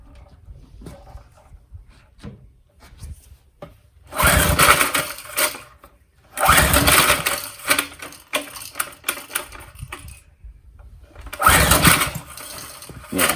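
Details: Old McLane lawn edger with a Briggs and Stratton engine, fueled and choked; three pull-cord rattles with no firing. Cranks but won't start, and the governor linkage looks wrong. Cause suspected, not confirmed.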